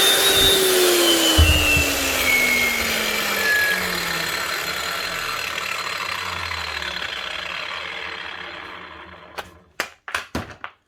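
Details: Hikoki G23SC4 Laser Chaser wall chaser after top bearing replacement for blade play, coasting down: smooth whine falling steadily in pitch, no rattle or grinding from the spindle, then handling clicks; bearings healthy.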